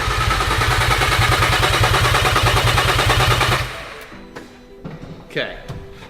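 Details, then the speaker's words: VW Caddy van with a 3.2L VR6 from an Audi A3 swapped in, first start on a completely dry fuel system: even starter cranking at about three beats a second, never catches. No fuel is being delivered yet. "so it's cranking, but it just hasn't got any fuel, which I mean makes sense why it doesn't have any fuel cuz I still think it's just going up."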